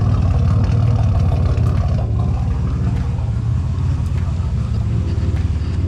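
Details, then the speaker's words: Nissan 300ZX with straight-pipe exhaust and boost gauge at idle: loud deep open-exhaust note with an uneven lumpy beat; runs a little rough, owner plans a tune-up, cause not pinned down. "and the car is running a little bit rough right now and you know I decided I'm going to go ahead and give it a tuneup"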